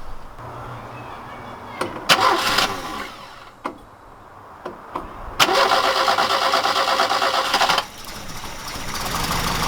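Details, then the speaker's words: 1969 Ford Capri Pinto engine, first start after renewing camshaft finger followers, cam cover off: a couple of short cranks, then it catches and runs even and smooth with no valve-gear tapping; normal start-up. "Let's put the top cover gasket back on again and try again, but that sounded smooth."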